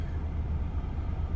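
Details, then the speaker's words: Honda Accord G9 2.0 after ECU remap for E20, idling in drive: low steady rumble with a faint uneven throb, idle vibration reduced but still present. Blamed on engine mounts and the model's low idle speed. "เดินเบาสั่นนะอันนี้ก็ยังมีสั่นอยู่แต่ก็น้อยกว่าตอนแรกพอสมควรนะฮะมันขึ้นอยู่กับยางแท่นเครื่องด้วย"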